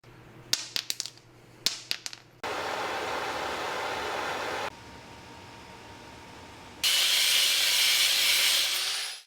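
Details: BMW driving: two bursts of sharp knocking and rumbling from the transmission tunnel, then steady road noise, caused by a failed driveshaft center support bearing, fixed by replacing the bearing.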